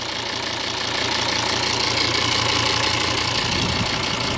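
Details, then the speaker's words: 2013 Volvo V60 D5 diesel idling steadily with even clatter after replacing the blocked vacuum pump valve (31430964): the earlier popping sound is gone. "the popping sound has gone compared to the old video so so far so good"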